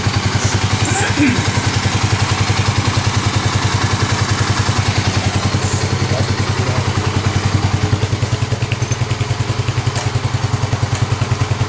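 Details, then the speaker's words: 2009 Kawasaki KLX250S on first start-up after a 300 big bore kit: even, steady single-cylinder thump at about three and a half beats a second, no knocks or misses; normal idle. "good that's how it sounds good is all right"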